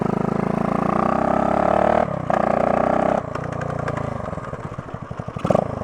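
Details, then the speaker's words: 1972 Honda SL125 yard-sale bike with new battery, running on choke after a cold start: small single thumps steadily, beat dipping and picking up briefly but catching and holding; healthy cold-start running. "cold start chokes off let's see what happens oh there you go yeah that's a good one"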